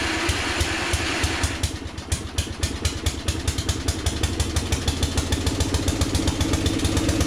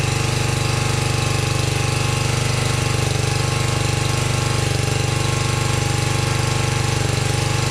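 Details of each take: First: 1982 LongLife 36-inch lawn tractor, barn find sat for years, first start on jumper cables with fresh gas: catches and settles into quick steady beats about eight a second, slightly rough; carburetor flooding from stuck float needle. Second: 1982 LongLife 36-inch lawn tractor, barn find unused for years, running after carburetor needle work, battery suspected dead: settles into even, steady thumping, no misses, surging or knocks; runs really good, normal running.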